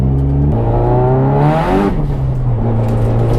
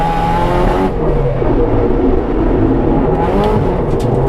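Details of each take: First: Track car at Willow Springs after re-gasketing the timing chain tensioner with a new nut and refitting the valve cover: engine pulls cleanly up through the revs and shifts with no top-end rattle. Normal running after the repair. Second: Track car on Willow Springs' Horse Thief Mile, after the timing chain tensioner re-gasket and valve cover refit: engine screams at high revs but the note stumbles and wavers under load. It is breaking up, cause unknown; it might clear on its own.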